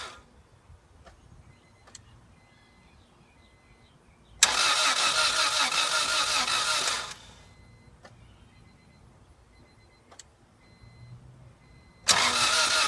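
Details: 1997 Acura Integra GSR with new spark plugs and wires: two spells of steady starter cranking, each a few seconds long, and the engine never catches; cranks but won't start.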